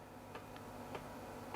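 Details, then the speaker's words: Sony VAIO PCG-FX501 laptop internal floppy drive during a full (non-quick) format: soft, crisp clicks at uneven intervals over a quiet hum as the head steps across tracks; progress bar updating correctly, working floppy. "don't know how well you can hear that but it sounds like it's moving correctly the progress bars updating correctly so that's all good sounds like we have a working floppy which is nice"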